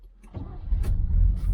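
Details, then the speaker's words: Neglected 1977 Chevy Malibu Classic with an Edelbrock carburetor: brief crank, then it catches on the first crank and settles into a steady low rumble; normal start. "Starts up first crank. Gotta love them Edelbrocks."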